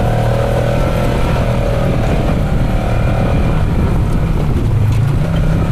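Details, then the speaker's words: 2012 Polaris RZR 900 XP4 that had driven only in reverse, running after a transmission rebuild and reinstall: steady, even low engine drone with no knocks, grinding or clunks through the whole run; the drivetrain sounds healthy. "And it took me, I think, 4.5 hours to put it back in and button everything back up. So it should be done. Sounds good."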